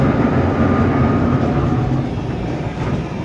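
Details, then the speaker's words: Daihatsu Gran Max van, 111,000 km, driving in third gear: heavy, gritty low rumble from underneath at the rear, loud on acceleration and quieter when decelerating, from a broken transmission mount letting the gearbox scrape. "Jadi, saat berakselerasi akan terdengar suara "grrr", tetapi saat melambat suaranya tidak terlalu keras."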